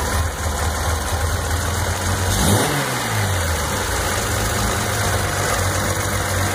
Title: Z noise (bad alternator)